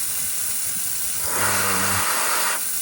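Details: SST Lube Cube fogless coolant mister on a Tormach CNC mill, run at about 10 PSI air with a tiny bit of water: steady airy hiss with a brief low hum midway. It sprays evenly with no sputter or pulsing; normal.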